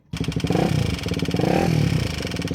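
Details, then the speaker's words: KTM Duke engine: loud metallic top-end rattle over the rapid firing beat, rising with revs, unlike the normal light tappet tick; possibly a loose chain tensioner or valve clearance problem, unconfirmed. "ऐसी loud rattling sound आए तो loose chain tensioner या valve clearance की problem हो सकती है।"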